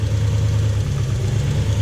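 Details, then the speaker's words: Toyota Hilux with 1UZ-FE V8, brought in lacking power with poor idle: deep, flat, slightly lumpy idle that still revs; spark tester shows no spark, so it is only running on four cylinders. "You can see there's no spark happening there. So this thing's only running on 4 cylinders."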